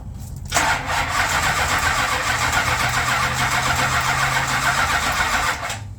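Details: Plymouth Road Runner sitting a year after engine overhaul, Excel coil showing bright spark: even cranking for about five seconds at three to four beats a second, never catching; owner suspects timing off or flooding.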